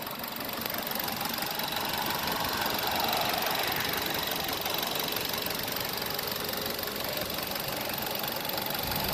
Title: 2008 Mazda 6 Motor Slight Misfire Walk Through